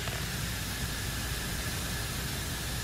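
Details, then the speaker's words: Lokithor JA301 jump starter/inflator (20,000 mAh), opened up with air attachment connected: loud steady rushing hiss over motor hum as air gushes from visible cracks in the pressure sensor, the leak source; owner suspects inflating a tire to 60 PSI caused it. "so what I found out is it's leaking at the pressure sensor guys so I don't know how I'm gonna fix that if I could somehow find out where to get the well that's a lot of air gushing out of there"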